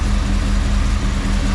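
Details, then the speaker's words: 1988 Chevy Camaro IROC with Tuned Port Injection, being diagnosed for stalling on throttle, warmed up after distributor timing adjustment: deep, even idle with steady low beat, no misses or knocks, holding rock solid; normal idle. "all right so you hear the idle here a lot smoother and now my climbing is Rock solid at like 16"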